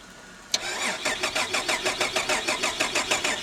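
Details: Holden VR Commodore manual after battery check; starter spins evenly at about three turns a second but engine never catches or fires; crank no start.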